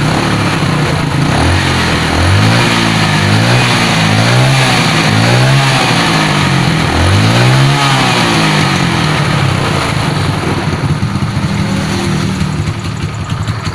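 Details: Carbureted Yamaha Mio scooter, previously rough, smoky and sluggish, after replacing the piston and camshaft (worn from low oil) and setting valve clearance: clean revs and blips, then a smooth, even idle with no rattle. Normal revving and idle.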